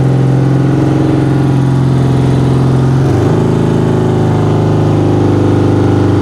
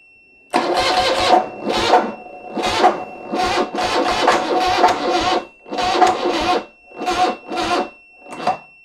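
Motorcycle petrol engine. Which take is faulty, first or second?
second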